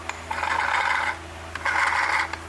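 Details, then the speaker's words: Vintage Craftsman chainsaw with Power Sharp self-sharpening, turned by hand: two rasping half-second scrapes as the stone contacts the chain top when the knob is advanced; normal sharpening contact. "and if you turn this thing down too much it'll actually make contact with the top of the"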